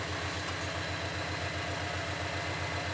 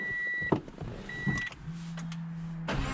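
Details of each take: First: Subaru BRZ after the Deatschwerks DW300 fuel pump was refitted: a smooth, consistent idle, steady pulses about four per second with no stumbles or misfires and no check engine light, much better than before the fix. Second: Subaru BRZ just after installing a DeatschWerks DW300 fuel pump and reconnecting the battery: cranks and catches beside a door chime, then idle wavers up and down; hunting idle persists, cause unknown.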